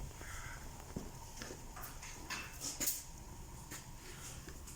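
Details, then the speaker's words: Car front suspension rocked by hand, stabilizer bushings intact and ball joint fine: irregular short clunks and clicks coming from the stabilizer links themselves. Worn sway bar link knock. "видимо навле просвета шум идет самих стоек стабилизатора шаровая опора данный момент исправность"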